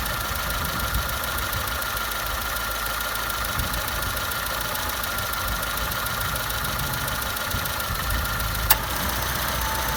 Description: CitroenC3 2002 rhythmical clunk sounds from right (as you sit in it) side of engine.